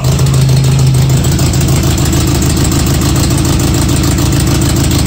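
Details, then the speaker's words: KA24-swapped Datsun 620 on Speeduino, first start after about eight years: lumpy, uneven idle with one cylinder not firing; clogged injectors from storage; dead-cylinder misfire; injectors flushed by jumping them. "one is it well one a-runnin that one's running okay so one is not running it's all right"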